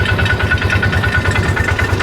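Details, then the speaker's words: Polaris Ranger after engine rebuild following a bad cam, running warm with oil circulating: even, low thumping idle with steady beats and no knocks, ticks or grinding; sounds normal. "Oil looks to be circulating like it's supposed to."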